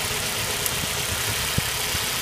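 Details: Audi A4 1.8L engine with all fuel injectors reconnected after coil pack misfire test; steady even idle, smooth exhaust note without bumbles or skipped beats; firing properly on all cylinders, normal idle.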